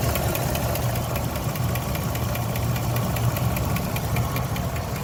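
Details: 2006 Jeep Liberty 3.7L V6 at idle: sharp, light tick about three a second over a steady idle from a sticking lifter; all lifters replaced because the sticking one was hard to identify.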